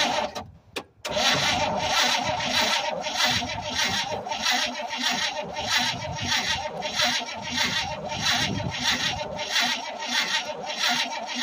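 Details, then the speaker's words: 1967 Chevrolet C20 pickup, first start attempt in several years, fuel poured in and possibly flooded: even starter cranking just under one beat a second for ten seconds, one faint pop, never catches; cranks but won't start, owner plans to check the points. "I got her to pop, so I know she's gonna run now. Just because I heard her pop. Pretty good sign."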